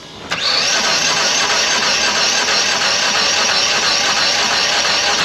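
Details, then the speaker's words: 2010 PT Cruiser, Chrysler 2.4, engine rebuilt after a broken timing belt: even starter whir cranking about 5 s without firing. Mechanic says it sounds like no compression but suspects security/immobilizer lockout after a dead battery. Crank, no start. "okay I don't know this thing doesn't sound that healthy sounds like it has no compression"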